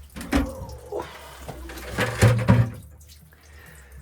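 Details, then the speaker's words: Shallow well pump being winterized on a damp 52°F November day: with air let in, irregular watery gurgles and splashes in short bursts as the pump body drains normally. "I want to get the water out of the uh pump body so I'm turning this on that's should drain the pump I think you can hear it gurgling"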